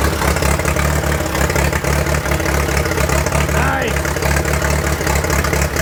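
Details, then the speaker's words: 1943 Case SC tractor, revived after years of sitting, battery weakening: low steady putter with slightly uneven, lumpy beat at light throttle; stays running but rough, owner unsure if a miss or fuel mixture, suspects mixture; carburetor not yet tuned. "I gave it a little bit of throttle and she stayed running sounds a little rough I'm not sure if I got a miss or if it's just fuel mixture my feeling is its fuel mixture"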